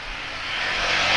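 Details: Speedybee Mario 5 DC FPV drone, Axisflying 2207.5 1960KV motors, T-Motor 5146 three-blade props, on 4S lithium-ion battery, fast flight after repairing stuttering motors: high, airy whine rising smoothly with throttle, no stutter or cutting out; normal motor run.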